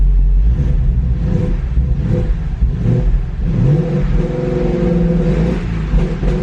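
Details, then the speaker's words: 2015 Ford Mustang GT being rebuilt after a wreck: after airbag/SRS work and code clearing, check engine light stays on and engine revs up and down by itself at idle without throttle, not normal; erratic surging idle from faulty PCM. "all right check engine light wind back on let's go ahead and see why is it on because whatever it was just doing that is not normal definitely not normal the way it's it's like revving and stuff"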